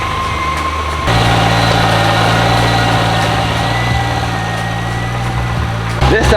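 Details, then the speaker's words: Transmission chatter at idle on a 2JZ-swapped FRS at first start-up, engine warm; faint loose rattle underneath about four per second over an even idle. The transmission is brand new, so the clutch kit is the likely cause. "we got a little chatter from the transmission we don't know if it's the clutch kit probably the clutch kit"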